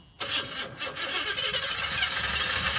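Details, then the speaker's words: '77 Cadillac Eldorado engine, heavy blow-by smoke from intake, wide open throttle: engine revs with hard rapid knock over rough running, blue smoke from exhaust; bad internal knock, cause unknown. "Oh my God. Oh, Oh, it's knocking, dude. It's knocking bad."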